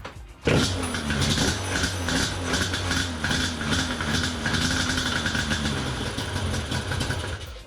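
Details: Yamaha Banshee 350 twin two-stroke on non-stock carbs, after carb and throttle slide adjustment with air filters on and thumb-throttle electrical part removed: fires up and settles into a fairly even burbling idle instead of dying.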